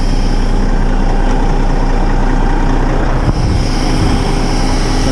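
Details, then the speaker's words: Oilfield water trailer vac pump driven by truck PTO (clutch in, in gear, PTO on, back out of gear), truck idling; constant low drone with the pump spinning, pulling air into the trailer, no grinding or knocking; normal vacuum pump operation. "the pump's spinning pulling air into the trailer forward so we're pulling air into the trailer"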